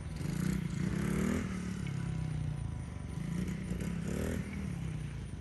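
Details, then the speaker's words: 110cc dirt bike after restoration with engine cleaned out, new sprocket and chain hooked up: small single buzzing at idle with two quick clean revs, no knocks or rattles on a test run; normal running with revving. "Well, we got it together. Just doing a little test run. All changes done."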